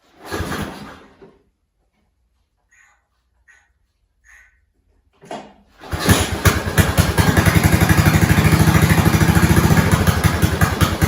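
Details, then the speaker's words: 1970s snowblower small engine after fuel line replacement, started on slow with choke on and a couple of primes: a couple of pulls, catches about six seconds in, then settles to a steady, even run with no misses; normal idle. "Slow, choke on, key on, couple of primes. That sounded good. I'm going to let it sit for a while."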